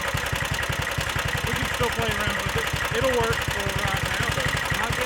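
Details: Stage 2 Predator 420cc single-cylinder on a Polaris rat-rod ATV after rebuild from mud ingestion (rings cleaned, valves re-lapped, headwork): quick, slightly uneven idle thump with chatter, running steadily; mixture still a touch rich, needs leaning out after needle adjustment.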